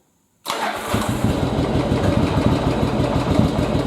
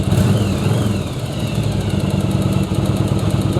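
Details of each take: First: Second-generation Yamaha Virago V-twin during carb sync and air/fuel mix adjustment: just fired up, idle lopes rough and uneven with stumbling pulses, vacuum gauge tubes reading wrong way; rough idle, cause not confirmed. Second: Second-gen Yamaha Virago V-twin after carb sync, spark plug check and air/fuel mixture adjustment: deep, steady thump at about 1000 rpm, even firing with no popping or spitting; healthy idle.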